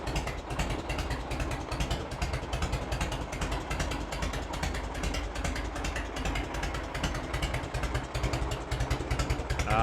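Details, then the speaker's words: 1986 Harley-Davidson Heritage Softail V-twin, 29,000 original miles, first start after over 10 years sitting, carb cleaned; even lumpy potato-potato beat about 2.5 pulses a second, clean steady idle with no stray knocks. "that's a good sound right there sure there's no leaks and this fat stuff right there it was pouring out of that cap too yeah crazy"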